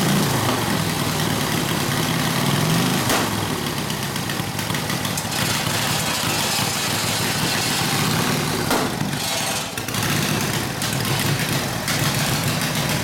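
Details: Harley WL 45ci flathead V-twin, no throttle, hot: loose, irregular idle, about four stumbling beats a second; rough idle, owner suspects front exhaust pipe rotated down and fell out; plans clamp and valve adjustment.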